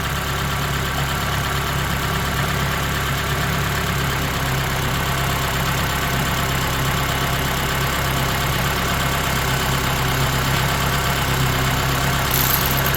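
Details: Honda Element K24 on its first start-up, valve lash still to be adjusted, with a damaged muffler, possibly the resonator right after the cat. Steady even idle with a smooth hum and no knocks or misses; sounds good.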